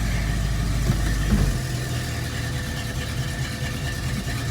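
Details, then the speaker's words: 1973 AMC Hornet after open and useless vacuum lines were removed, idling with the brake held hard: uneven lope at about two pulses a second that stumbles; rough idle. Master cylinder or brake booster suspected; it no longer cuts out on throttle. "Sounds like absolute poo-poo. In here."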